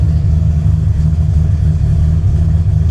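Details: V8 with an ACES Killshot fuel-injection kit and still being tuned: a deep, steady burble holds an even idle with no misses, knocks or ticks, a healthy engine settling through warm-up.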